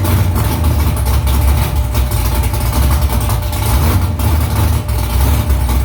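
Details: First start after new headers were installed, exhaust back under the car; louder under the seat. Deep, lumpy V8 idle with loud exhaust and a few throttle blips. Smoke is from silicone drying around the header. Normal idle.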